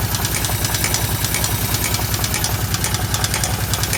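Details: Kawasaki KVF750 at idle: loud, sharp, regular knock about twice a second, seemingly from the rear cylinder; valve tappets checked and fine, cause unknown.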